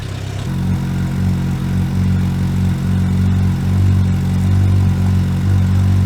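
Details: Suzuki motorcycle cold started after winter storage on old fuel, choke partly on: engine catches after half a second and settles into a steady, even low idle with a slight fast patter; healthy cold start.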